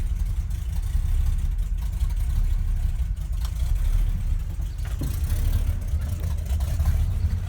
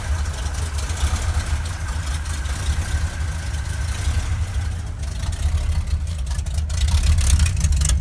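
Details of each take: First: 1971 Ford crew cab, rebuilt 352 FE V8 with new cam, open glass packs, cold: deep choppy loping idle from the cam, somewhat cold-blooded; some header exhaust-leak ticking; surging suspected from the PCV valve (about 13 inHg vacuum) or a vacuum leak. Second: 1971 Ford crew cab with rebuilt 352 FE V8 (new cam, lifters, bearings, rings, oil pump) and open glass packs: loud deep idle rumble with faint uneven ticking from exhaust leaks at poorly sealed headers.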